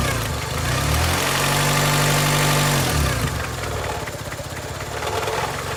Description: 2002 Honda Accord - 260,000 miles. Engine makes knocking noise. Can’t figure out if it needs a valve adjustment or if it has rod knock.